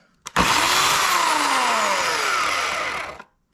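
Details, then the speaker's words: Oregon CS1500 120V electric chainsaw, about four years of log bucking, started grinding suddenly mid-cut: it winds down from a high whine with a falling tone and rough grating as the motor stops; owner suspects a worn or misaligned bearing. "and then that noise that makes on shutdown also right before the motor stops is also a little bit worrisome it sounds like a bearing might be out of alignment or uh worn out or"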